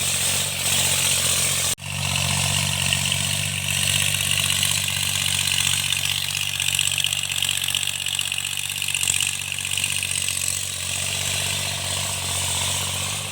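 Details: Tractor diesel cultivating after an engine-knocking repair: pulls steadily under field load, an even drone with no knock or tapping riding over it, running normally and healthy.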